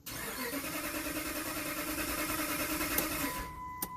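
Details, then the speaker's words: 2007 Dodge Ram 1500 5.7L Hemi with a crank-no-start fault, after fitting a new Duralast sensor that now gives a square wave on the scope. Steady cranking about three turns a second that never catches, then a dash chime: cranks, no start. "so we got a square wave that noise is from the starter but let's go ahead and read codes now"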